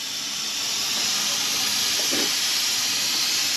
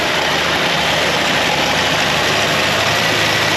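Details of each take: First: 1962 Ford Falcon, long-stored, after new brakes, on the road and running hot: steady high hiss like pressurized steam with no engine note; coolant escaping through a hole in the radiator. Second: 1962 Ford Falcon, sat over 40 years, now warmed up and running with the generator charging 14.5 V: smooth, steady warm idle with an even hum and no knocks, stumbles or squeals; sounds healthy.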